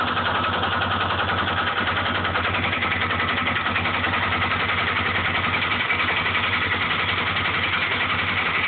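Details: Honda 400EX single-cylinder idling with a steady, rapid loud knock about three or four a second and occasional extra-loud knocks; owner says it is not the valves, cause unclear.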